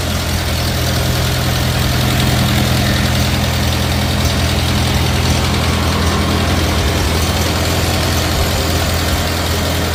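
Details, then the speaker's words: 1950 Farmall Cub four-cylinder after engine rebuild with pop-up pistons, new magneto and on-off switch: steady even idle, firm low putter, no misses, knocks or smoke; healthy normal running. "So she runs pretty damn good. Had to replace that magneto. Sounds good, sounds quiet. No smoke. Purrs like a kitten."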